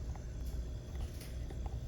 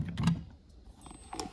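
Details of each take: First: Red Bull mini fridge that had stopped cooling, after repair with an easy solder fix and reassembly; before, it only clicked and did nothing; now low steady compressor hum with faint clicks, no rattle, starting and running normally, cooling again. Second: Red Bull mini fridge not cooling, plugged in: light comes on, sharp relay click, then faint high-pitched hiss, no compressor hum follows; faulty compressor start relay keeps compressor from starting.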